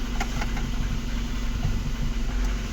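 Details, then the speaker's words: VAZ 2115 1.5 petrol after a hard-start fix (the alarm had blocked the fuel pump once the battery was disconnected): a low, even idle with slight piston noise but no misfire or stumbling; running smoothly. "конечно блок уже шумноватий тарабанять поршня але ну нічого не троїть не рдить все працює все хорошо"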